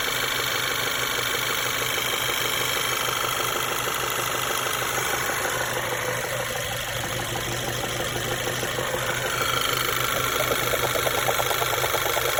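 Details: Engine knock at idle on a 1.8 TSI (CDAB): steady idle with a light, fairly regular tapping knock about three per second; source unclear, cam phaser vanes already replaced and timing chain reported fine.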